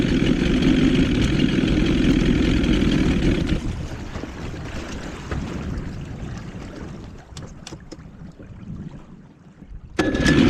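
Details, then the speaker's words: 1977 Johnson 115 outboard runs rough and uneven on the water, pulses stumbling over wind noise before dropping away; ignition misfire, owner suspects two or three old coil packs bad, planning new CDI and four coils. "Maybe two or three of those coils are bad cuz in one of the last videos I only replaced one of them."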